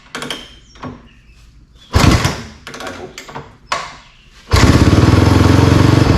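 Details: Honda CRF250R engine in a go-kart after water pump rebuild (new shaft, seals, bearing) for a coolant leak, refilled with oil and water, checking for leaks: a few clunks then fires up into quick steady even idle, no misfire; normal running.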